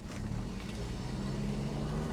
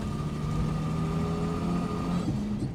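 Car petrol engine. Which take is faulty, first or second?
second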